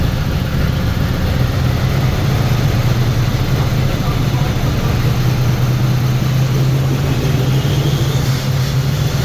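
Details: Turbo Trans Am at first start after partial overhaul: cylinder heads revised, new camshaft, valves adjusted, new turbo, break-in oil. Held at raised rpm for a 30-minute break-in. Smooth, even deep note with no knocks or misses; oil pressure good. Normal fast idle.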